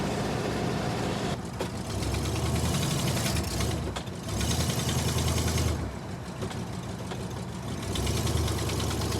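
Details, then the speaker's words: 1983 Coachman Leprechaun motorhome on a Ford chassis, unrun for roughly 10–16 years, on mixed high-test and regular fuel; choke set with two pedal pumps, it fired within four turns and hums at a steady, even fast idle on choke. "And you can hear it. Just a humming. Obviously high idle because of the choke, but still."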